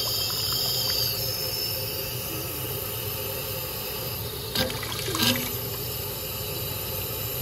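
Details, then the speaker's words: 1.5-inch scale Nathan 4000C non-lifting injector running with the quadrant in the second notch: a steady rushing hiss of steam and water whose tone shifts as the water is throttled back; normal injector operation. "that might be hard to hear on the video but you can hear hear it changing the sound changes as it as you throttle the water back"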